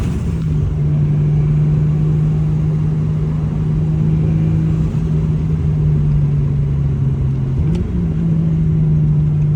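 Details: BMW E36 M3 with a new turbo, original blowoff valve still fitted, on a street drive: deep, even engine drone that holds steady, then lifts briefly near the end; clean pull with no rattles or whistling, a normal acceleration.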